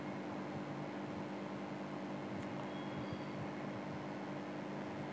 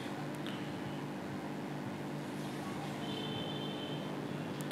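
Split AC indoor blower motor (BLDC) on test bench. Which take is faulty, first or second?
second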